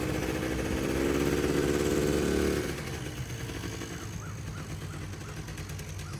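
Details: Polaris Trail Boss 350 two-stroke quad, abandoned 15 years, after carburetor clean, fresh fuel and jump start; buzz settling from higher rev to fairly even regular idle; runs healthy now.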